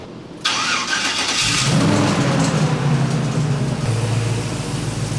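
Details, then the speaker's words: LS-swapped squarebody service truck with new exhaust and coolant-gauge adapter: after an earlier backfire, a brief crank catches at once into a deep, even V8 idle with no stumble. A clean, healthy start. "cool sounds good"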